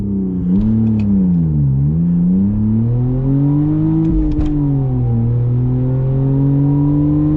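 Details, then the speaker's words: BMW E46 325i with exhaust and heat shield removed, 0-60 run on the old worn clutch before replacement; revs flare sharply on each pull and shift without matching drive, slumping into gears; clutch slip. "okay so we're gonna give you guys a 0-60 now with the old clutch just to show you guys how much it slips and then hopefully once the new clutch is broken in we'll do another one"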